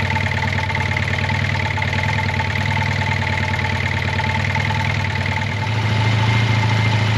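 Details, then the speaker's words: 1980 Honda CB400T Hawk, first start after carb rebuild and oil change, on choke with fuel supplied from a bottle: steady, even four-cylinder idle with no knocks or rattles over the low exhaust note. Sounds healthy. "it's so awesome to hear this bike run I don't hear any bad noises with it it sounds like it's running nicely"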